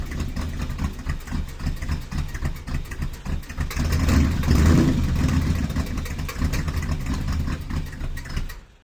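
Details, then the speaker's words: V8 after new valve cover gaskets and valve adjustment for a driver's-side problem: catches and revs with an uneven, rapid clatter over the rumble; a bent pushrod and broken valve spring were found. "it came out like this when i ended up opening up the valve cover again after that weird ass noise that was on camera it came out like this and i pulled it and i was like oh my god and then i looked further into the car and the spring was broken"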